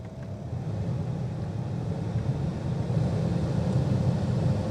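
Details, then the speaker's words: 2006 Ford Fusion 3.0L with automatic temperature control, after replacing blower motor and resistor: smooth airflow whoosh rising and falling through fan speeds, no rattle or squeal; good airflow, blower works normally. "we run it through the various fan ranges here we can hear the fan accelerate and decelerate throughout the various ranges here and certainly feel good air flow coming out of the vents"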